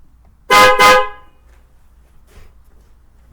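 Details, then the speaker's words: Newly installed PIAA Racing Sport dual-tone horns replacing a weak failing horn, binaural recording; two loud clear honks with both tones together, then a third blast, horn works strongly. "can hear those dual Tor cone those dual tones pretty well"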